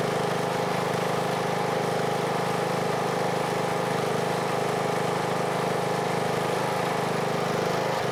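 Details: Husqvarna riding mower, Briggs & Stratton single-cylinder, after replacing camshaft with failed decompressor that made it crank like a dead battery: starts very easily, smooth steady idle, no misses; healthy after repair.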